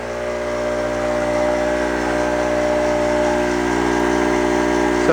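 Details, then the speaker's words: Harbor Freight Storm Cat 800 W (900 W peak) generator running Haier 6000 BTU window air conditioner; steady even drone with no surging under load, normal running. "it does seem to be working. Higher 6,000 BTU air conditioning unit with the Harbor Freight Stormcat generator seem to be working for now."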